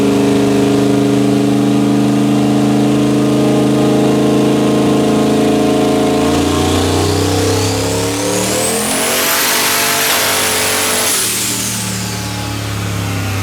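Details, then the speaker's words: Boosted engine at 4.8 dynamic compression, warmed to about 160 degrees, pull in high gear: pulls hard with a whistling rise, then bogs and sounds labored as the driver-side paper head gasket blows under boost, puff by the tire; blown head gasket. "And unfortunately, what you just saw was the paper head gasket on the driver's side fail. So it came up on boost. You can hear it sounds great for a split second, and then it lays over. It sounds labored."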